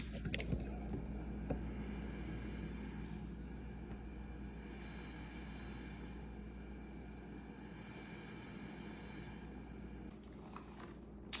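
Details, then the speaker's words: ResMed AirSense 10 CPAP that whined on inhale, after replacing the blower motor: soft, steady hum with no whine, quiet even airflow; normal quiet blower operation. "so that was the fix you can clearly tell a difference between the before and after"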